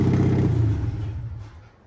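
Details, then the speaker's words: Mercedes W123 diesel, first start after priming the pump: it fires straight up with a very loud, deep, raw unmuffled rumble before shutdown. "Oh, what a beauty. That is loud, though. That's terrible."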